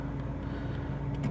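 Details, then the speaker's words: Chery J1 petrol car parked in a side street, idling at about 850 rpm on the tachometer before a drive to show a loss-of-power fault, already fixed. Quiet, smooth steady hum with no misses or knocks. Normal idle. "if you look at the rev counter on this car it's idling at about I think about uh 850 Cycles"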